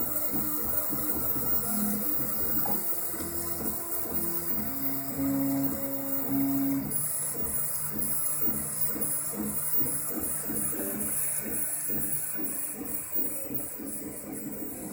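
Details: Craftbot 3D printer after replacing its bearings with IGUS RJ4JP bearings to reduce noise: the stepper motors sing in shifting tones as the head moves, smooth with no bearing rattle. Normal quiet printer motion.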